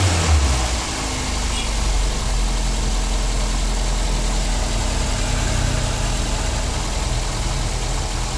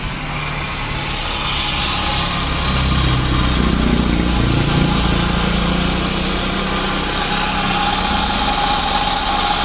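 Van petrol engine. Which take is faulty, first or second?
second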